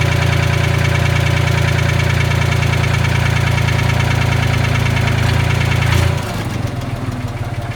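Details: Old Ford forklift engine with updraft carburetor after patching its leaks with acid, pop rivets and epoxy: steady, even idle, smooth low throb, settling lower near the end; runs normally, no leak.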